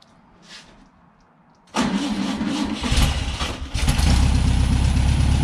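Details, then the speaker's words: 1963 VW Beetle, 6-volt system, after installing hard start relay: starter spins briefly, flat-four catches promptly and settles into steady, even idle; normal turnkey start. "okay so definitely a success with the hard start relay and we've got turn key reliability now"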